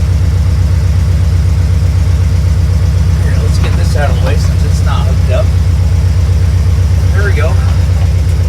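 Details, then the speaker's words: 1972 Mercury Comet small-block Ford V8 after ACE Fusion fuel injection install, idle set 850 rpm reading 900, air-fuel 13.5: steady, even idle, low throb, no knocks or misses; runs better than on the carburetor. "Oh, yeah. That sounds pretty good. I'm not going to grab out of that. That's the best we so far. It didn't run that good with the carburetor on it."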